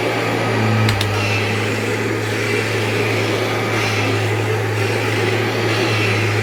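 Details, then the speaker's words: Dirty used vacuum with a HEPA bag and a tech drive that appears to work, a broken lower cord hook and possible leaks (stub tube unchecked). Steady motor hum with an even low drone and airy rush, no rattles: running normally. "Now this thing obviously works like it's fine, but I didn't want it."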